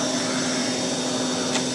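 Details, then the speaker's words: 1940s Eureka Roto-Matic Model 800 vacuum cleaner running: a smooth, even, quiet motor hum with a soft steady tone, no rattles or surging; the quietest machine in the collection, a healthy motor running well. "this is by far my quietness vacuum in my collection it just has that little hum to it that's so pleasant to listen to while you go back"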